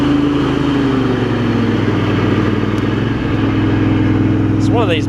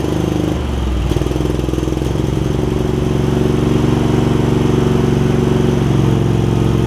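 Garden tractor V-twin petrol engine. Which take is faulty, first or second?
second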